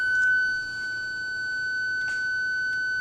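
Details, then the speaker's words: 2000 BMW E39 M5, key in the second position with the engine off and reverse engaged: a single steady high beep of about three seconds as the park distance control warns that a rear ultrasonic PDC sensor is faulty. "And that long beep that you just heard was the system notifying me that one of the sensors for the PDC, or rear park distance control, is faulty."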